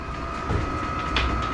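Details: Vevor diesel air heater newly installed in a sea-can container knife-making shop, muffler still to be fitted: steady mid-pitched fan whine over a low even rumble with no knocks or surging; running normally, blowing hot air.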